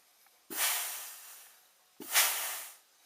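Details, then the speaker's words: A518/46RE transmission with governor pressure issue, valve body removed, air-testing apply circuits: two sharp bursts of air, each hissing about a second then tapering, with the clutch heard moving at port 5, the front clutch apply; normal clutch application. "And number 5, which is the front clutch apply. You can hear the clutch moving"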